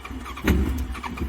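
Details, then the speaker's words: Hayabusa after sitting, with a fuel pump suspected not working (it runs on starter fluid): brief uneven stumble of a few ragged firings that never catches, a rough failed start. "good well we don't think that fuel pump's working"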